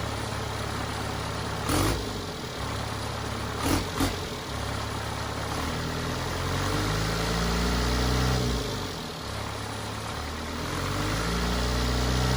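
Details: Cummins 4BT diesel in a Power Wagon on 37s, first start since 2015 (April 2022), temporary battery, 8 psi fuel pressure: even idle clatter lifting and settling with small revs, a few handling bangs; normal idle, runs healthy.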